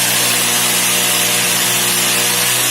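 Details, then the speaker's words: Turnigy G160 290kv brushless outrunner drone motor with propeller, two 3S 5000mAh LiPos in series, about 50% throttle: steady hum, hard prop rush and coarse buzz; excessive vibration at mid throttle, to be fixed before exceeding 75%. "vibration is a bit more than last time, isn't it? Not even 50%. This is 50%. Wow. Slowly. So don't go beyond 75. You hear the vibration says, hey, back up. Back up. I think we want to fix that vibration first."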